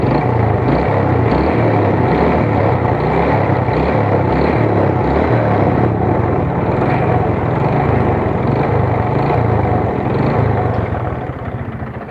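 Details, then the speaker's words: Yamaha Vega R motorcycle small single lacking power, rough engine and lag off throttle: steady light tapping about four times a second, quickening with revs; mechanic says it is a worn connecting rod knock that does not change in character. "nah ketika jalan kayak gini k terdengar suaranya itu stabil suara teektenya segitu itu adalah suara setang seer teman-teman"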